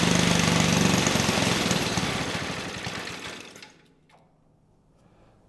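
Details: 1959 McDonough T-10 Tin Lizzie go-kart's old single-cylinder engine, disassembled 30 years, previously no compression, now running: steady even thumping beat, then winds down and quits as fuel runs out while idle being adjusted down; sounds healthy.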